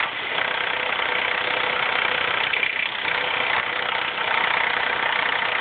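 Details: 2004 Mazda 3 2.3L manual, 84K miles, idling: busy uneven metallic clatter about three per second up front; owner attributes the loud rattle to the timing chain, unconfirmed.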